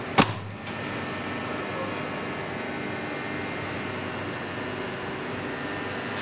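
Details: Contactor after opening, cleaning and reassembling to cure a humming noise, then energized: a sharp click as it pulls in, then only a quiet steady background with no buzzing hum.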